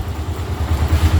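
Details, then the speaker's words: Bajaj Avenger 220 on its stand in first gear at low idle during a home service: uneven idle with a rapid lumpy slapping beat as the loose chain flaps. Idle was then raised so the chain lube could be applied. "இங்க பார்த்தீங்கன்னா படக்கு படக்குன்னு அடிக்கிறதுக்கு இங்க பாருங்க இதை avoid பண்றதுக்கு தான் சொன்னேன்"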